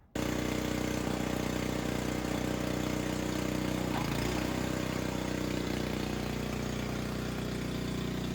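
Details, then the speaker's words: Craftsman snow blower fully reassembled after replacing its unrepairable carburetor: small single-cylinder engine catches and holds a steady even run with no misses or hunting; healthy after repair. "I'm gonna start it back up. Got everything back together. I'm gonna let it run for a little bit. Just make sure everything's working right on it."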